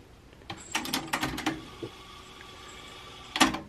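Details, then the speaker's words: Technics RS-TR313 vintage double cassette deck, thrift-store find, switched to tape and rewinding: crisp button and mechanism clunks, then smooth quiet whirr of tape winding, no squeal or dragging; normal rewind. "I'm going to switch this to tape, which will shut our music off momentarily. Rewind a little bit."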